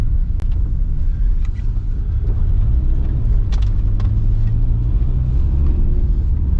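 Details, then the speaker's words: Manual Subaru after low-power repair and exhaust upgrade, test drive accelerating in second gear: deep, even exhaust rumble pulling cleanly without choking or stumbling, previously needed very high revs; normal acceleration. "yeah that's much much better it's mostly quiet when I step on the gas and second gear I can actually accelerate which I couldn't do before unless I had super high revs"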